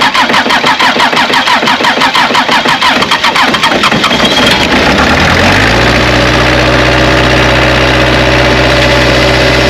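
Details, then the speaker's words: Bobcat 773 skid steer diesel that died while driving, after replacing the in-tank fuel pickup with check valve and bushing and priming air out: several seconds of cranking, then it catches and settles into a steady even idle; fixed. "On the last segment, you heard, got her up and running."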